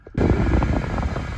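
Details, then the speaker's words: Cadillac DTS: strong, steady rush of air from the AC blower at full fan speed with no rattles or squeal; exceptional air conditioning working normally. "think about these caddies from this area is they have exceptional air conditioning it's like a jet engine blowing I'm going to turn it down so you can hear me"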